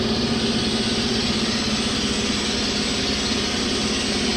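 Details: Ingersoll Rand T30 air compressor running on single-phase power through a Huanyang VFD after resetting its parameters: a steady electric hum with even pumping chatter at a constant pitch at full speed; running normally.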